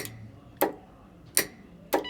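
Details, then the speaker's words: Line lock solenoid, mounted on the handbrake bracket in the Missfire car, with the ignition on: a few sharp, clean clicks about half a second apart, showing the solenoid engages normally. "So we'll just turn the ignition on. Okay, we'll hear the solenoid"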